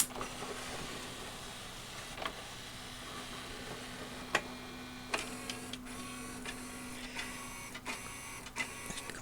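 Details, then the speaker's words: RCA RS2654 shelf system CD changer after disc-sensing IR LED emitter repair, powered on: light motor whir under scattered clicks, then a quick run of clacks before settling; normal start-up sequence. "two it's a little sequence there it stops that's normal"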